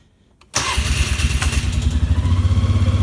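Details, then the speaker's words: 2003 Polaris Sportsman ATV, 2,700 miles, sat 5 days, cold, on choke: starter whirs briefly, catches first try, settles into even steady low idle; normal cold start. "That started. First try. Been sitting for 5 days and it's cold."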